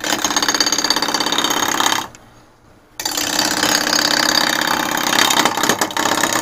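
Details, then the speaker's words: Lathe at about 1000 rpm roughing a large dry ambrosia maple goblet blank: fast rattling chatter about three per second during the cut, stopping then resuming. The tool shaft is loose in the tool handle. "hey that's something that was weird hang on a second tool shaft is loose in the tool handle can't have that"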